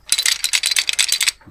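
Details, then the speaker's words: Vintage army Tirfor TU-16 winch mechanism after 15 minutes of ultrasonic cleaning; crisp, even ratchet clicks about six a second with no gritty scraping, running clean and free compared with before. "Sounding a lot smoother now, so that'll be good."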